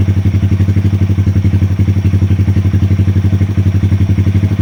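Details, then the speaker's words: 2020 Honda Grom 125 after dashboard fault, ECU and throttle position sensor resets to cure rough idle and misfire following an exhaust change: even, steady putter about four pulses a second, no stumbles; smooth healthy idle. "RPMs are quite nice and steady now."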